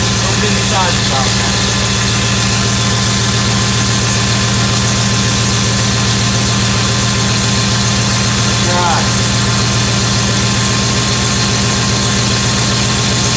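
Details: Engine running briefly after final reassembly; steady, even low idle with constant deep pulse, no knocks, misses or surges; running smoothly.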